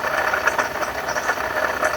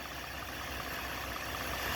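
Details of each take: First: 2012 Ford F-150 3.7 L V6 Ti-VCT, 2WD, idling with serpentine belt on: steady gritty whir with fine rattly ticks over the engine from a bad water pump. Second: 2012 Ford F-150 3.7 L V6 Ti-VCT, idling with the serpentine belt removed so no pulleys turn: much quieter, smooth and steady, as it should sound. The noise came from a worn water pump with excessive play.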